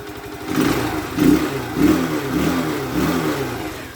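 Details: Alpha Motoland Scout 110cc motorcycle after valve adjustment failed to cure a head knock; non-pumping oil pump found, piston kit and cylinder head replaced, oil now spraying; single cylinder revved up and down cleanly, no knock, runs healthy.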